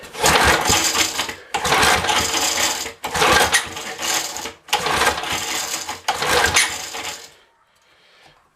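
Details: Small engine after plug swap to a cleaner plug: five rough pull-start bursts about a second and a half each, never firing; spark tester shows no spark.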